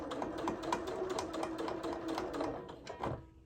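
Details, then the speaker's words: Sewing machine stitching a gift bag after the needle hit a pin and bent: quick, uneven clicking stitches about four per second with sharp metallic ticks as the bent needle strikes something it shouldn't. "Hear that noise? That's the sound of the needle hitting something it's not supposed to be hitting, so I bent it."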